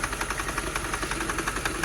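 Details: 2006/2007 Mercedes CLS 500 just started after a fuel pump issue now idles with uneven, lumpy beats and dropped strokes, whole car shaking; bad misfire, cause not yet found.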